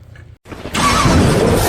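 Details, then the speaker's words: Ford Ranger with a 1JZ-GTE engine after a burnt fuel pump was replaced and the valve clearances were adjusted with thinner shims. It starts quickly and idles steadily without shaking, though a leaky exhaust makes it loud. "ตั้งวาล์วเสร็จเรียบร้อยเครื่องนิ่งเลยไม่มีสั่น"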